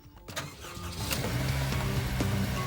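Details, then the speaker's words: Honda Civic Type R EP3 with K20 engine starting from cold: it catches and holds a fast, steady idle with a mild hum, a normal ECU warm-up idle. "Right, there we go. It sounds alright for now. It's got a bit of a high tick over, but it's not that bad."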